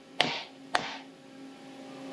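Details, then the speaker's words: Three sharp hammer taps on a titanium plate being faced from .800 to .375 in on a milling fixture, with clamps lightly tightened. Each tap rings hollow with a lingering tone, showing the plate's end has a small gap and is not fully seated, a possible chatter risk. "You can hear the difference. So there's a little bit of a gap."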